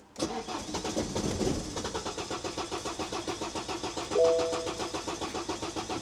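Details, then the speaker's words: 2009 BMW 118d diesel, clutch down, with unfamiliar dash warning lights. The starter churns steadily with even compression pulses, but the engine never fires: a crank, no-start. "I honestly don't know what to do here mate this is not good news not good news at all I'm having a bad day the BMW won't start"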